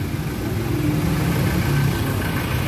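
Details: Car idling after a flat 12V battery was jump-started from a motorbike battery: even, steady low rumble with no misses or knocks; engine idling smoothly.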